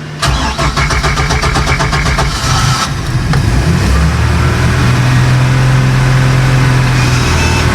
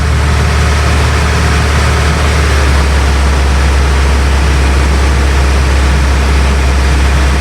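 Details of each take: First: Bayliner cabin cruiser MerCruiser engine, unrun for months and needing warm-up: after a stall, rapid even cranking for a few seconds catches and settles into a steady rough idle. A slow, reluctant restart; cause suspected, not confirmed. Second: Bayliner cabin cruiser with MerCruiser inboard, started after months unused on two-year-old fuel, warming at idle: steady deep even drone, no knocks or misses; normal idle.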